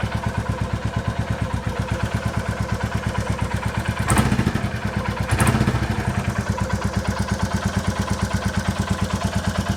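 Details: 2022 Royal Enfield Classic 350 Reborn single cylinder, stolen and crashed, first start after recovery: even quick idle thump with a light tappet tick on each beat and two brief blips; tappety noise to be fixed with a proper service.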